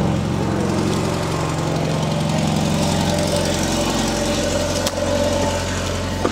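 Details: Mercedes W210 petrol idling after replacing the loudly humming fuel pump with a new Bosch pump: even idle with a soft steady hum, only faint hiss from the pump, no loud whine; normal idle.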